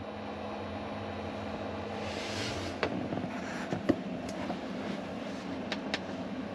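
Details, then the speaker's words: Cheap Chinese diesel heater in a camper van, run from a 12V transformer, lowest setting: soft steady low hum and blower rush with light ticks, nothing rough; heater ticking away, normal idle. "there you go that's Becky's diesel heater ticking away"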